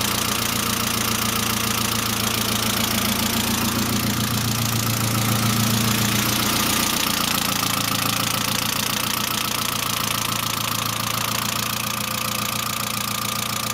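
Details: Saab C900 after engine/head rebuild, idle with small rev bump: constant quick top-end ticking holding pace, lifter tick; no oil leaks, pressure lamp off; owner suspects oil pressure relief valve not thoroughly cleaned; return line leak apparently ruled out.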